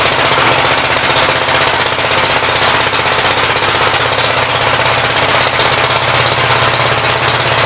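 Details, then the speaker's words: 1959 Gravely L-I tractor single-cylinder engine, carb may need adjustment, outdoors: loud, fast, even popping beat holding steady speed, no misses or stumbles; runs fine with good oil pressure. "but yeah it runs and works pretty good it's got awesome oil pressure"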